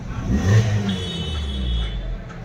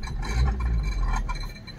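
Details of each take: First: Suzuki Baleno after fixing a bent silencer that touched and rattled with engine vibration at idle and on acceleration: a short rev gives a smooth, deep exhaust note with no rattle or buzz. Normal exhaust. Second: Suzuki Baleno at idle: low steady hum with light clinking taps as the engine shakes; the exhaust silencer is touching the body and rattling.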